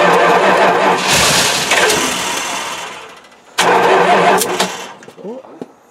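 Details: Mopar 360 V8 sat three years, fuel sprayed on top of the carburetor: two bursts of cranking briefly catch and roar, then die away each time; fires on primed fuel but won't keep running.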